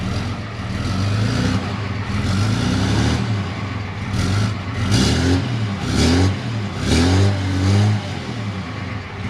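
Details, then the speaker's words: 2013 Ram 2500 6.7L Cummins diesel after replacing the failed turbo (bad VGT actuator) with a BD Screamer HE300VG turbo and new exhaust manifold: several throttle blips, clean rumble rising and falling smoothly, no knocks or whistles, no boost yet; sounds normal. "Sounds pretty normal. No boost occurring yet."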